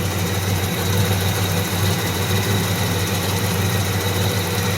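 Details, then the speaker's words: 1985 Pontiac Firebird at idle: steady idle rumble with a faint constant high whistle on top; owner unsure of the source, thinks it is still the alternator but not its bearing, and says it sounds like it comes from down low. "I'm not sure what that sound is think it's still the alternator it's making I think the it shouldn't be the bearing cuzz I I don't [ __ ] know it sounds like it's coming from down"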